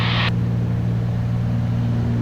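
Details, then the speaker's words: Twin-engine aircraft in cruise on a Texas-to-Chicago flight, propeller rpm manually synchronized: steady deep drone from both engines with no slow wha-wha beat between them; normal cruise, props well matched. "I try to keep them matched best I can like right now they're really well matched right there"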